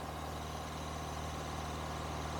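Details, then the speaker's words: Engine with a high idle issue: a steady, smooth, noticeably fast idle that never drops back. Pinching off vacuum hoses changes nothing and no vacuum leaks are heard; cause not yet found. "so I guess if I just pinch off random hoses you know I should be able to notice if there's any change in the idle and I'm not noticing anything from doing any of them"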